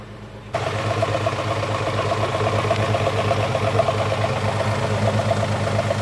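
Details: 2010 BMW F10 535i with cold-start judder idles unevenly with a stumbling exhaust beat. Six injectors, plugs and coils were replaced without improvement. Engine and drivetrain warning lights are on, with random multi-cylinder misfire codes and cylinder 1 repeatedly flagged.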